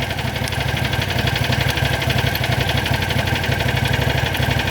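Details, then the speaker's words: John Deere GT225 lawn tractor, last attempt after repeated cranking and cable check: steady churning about four beats a second, never catches; owner thinks the starter overheated and is now toasted; battery then charging. "Yeah, it's definitely, nope. She's done. I toasted my starter doing that."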